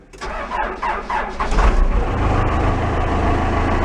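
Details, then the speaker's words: Case 580 backhoe, about 6,600 hours, sat unused, started without glow plugs in mild weather: a few quick cranks, catches within a second, settles into a steady, even diesel run with white and black smoke; healthy start. "starts nice let's cycle the cylinders a little no it's white looks like white and black that's good"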